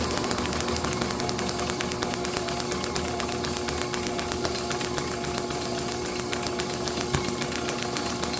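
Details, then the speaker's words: International H4 magneto from a parts Farmall MD, overhauled for a TD-6 crawler, spun slowly as the impulse coupling starts ticking back in: fast, even ticking with clean spark snaps and no misses; normal operation. "You can hear the impulse starting to kind of tick back in there. It's just about ready to start engaging."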